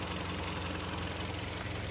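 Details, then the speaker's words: Kia Sportage 3, 2012, 175,000 km, after an engine rebuild: a steady, even idle with a smooth low rumble and no knocks, ticks or hunting. The cooling fan cycles on and off normally. "Ну что всё нормально вентилятор включился выключился всё работа"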